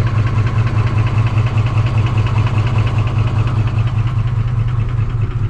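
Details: Ford F150 5.4 3-valve V8, right-hand drive: deep, lumpy idle with a steady knock two or three times a second, knocking pretty bad; worn timing chains and cam phasers.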